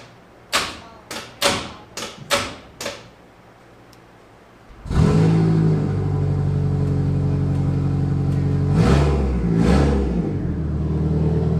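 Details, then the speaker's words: VH45DE cranking after a capful of oil in each cylinder to ease hard turning; several slow heavy starter thumps about four a second, then catches into rough uneven rev; owner suspects unprimed oil pump. "just gonna put like a cap full of oil into the cylinders every one and then try to crank it hopefully he'll kind of lubricate the cylinders like I was sand and be able to turn easier"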